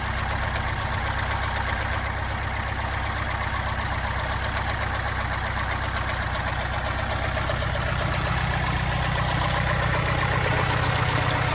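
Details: Subaru Impreza STI at idle: steady fairly regular light knock about four per second over exhaust note; knocking at idle, owner suspects piston slap, unconfirmed.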